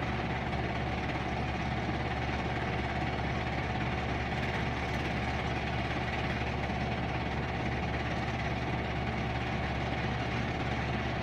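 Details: Whirlpool Duet front-load washer ramping up into high-speed spin with a big load: steady deep whir, low even hum and faint vibration, which the vibration sensor monitors. Normal healthy spin.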